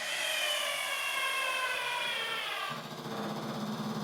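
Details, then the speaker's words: Husqvarna TS354D garden tractor, key on after a fuse replacement: the electric locking-differential actuator motor whirs with a steady high whine that never shuts off, then drops in pitch. The actuator doesn't stop; it seems to have lost its park position. "it is is allowing the little hydraulic hydraulic little electric actuator to turn on and move but then it continues to stay activated"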